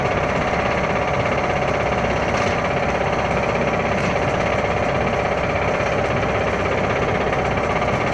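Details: Toyota Starlet engine at idle: rough running with loud, fast, uneven knocking about three per second; cause unknown.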